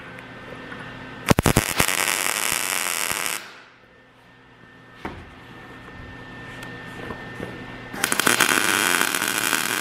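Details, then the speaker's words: MIG welding cart frame after raising voltage, wire speed unchanged: steady crisp crackle like frying bacon, no popping or sputtering; settings well matched. "That's better. When you do this, it should sound like bacon."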